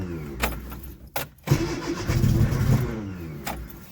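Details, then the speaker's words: Freshly rebuilt 1311cc A-series engine, cold restart with choke in then a little choke; catches, throttle blips swell lazily and sag while firing on all four. Won't rev due to retarded timing; loose distributor found. "Yeah, but it does not want to rev. What's going on? What's wrong? Got fuel. Well, we know that timing. It was firing on all four. Let's maybe advance the timing a bit."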